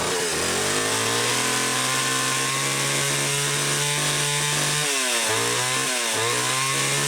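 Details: Homelite XL-500 chainsaw fitted with the optional silencer muffler, test run in the garage after cutting well: strong steady buzz that drops and picks back up cleanly on throttle blips, no stumbling or rattle; normal running.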